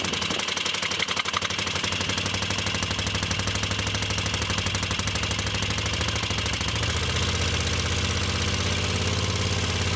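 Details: Moto Guzzi Le Mans 3 twin, first start, points gap, static timing and spark checked, cheap pod filters: lumpy uneven beat on both cylinders, note shifts as throttle held open to prevent stalling; slack carb throttle cables.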